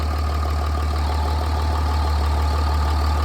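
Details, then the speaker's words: 2007 Dodge Ram after front main seal replacement and harmonic balancer refit, quick test run: steady even low rumble at idle with no knocks, rattles or misses; balancer on, running smoothly. "Little quick test run. Running. Okay, balancer is on nice and smooth."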